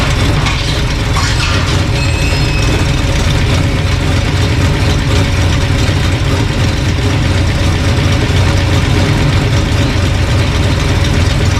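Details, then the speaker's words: Old engine after sorting a bad distributor, timing being dialed in with timing light: steady, even low rumble, no misses or knocks, smooth healthy idle; normal idle. "My timing's not working, but I think was my problem all along. Dial in. Sounds pretty good now."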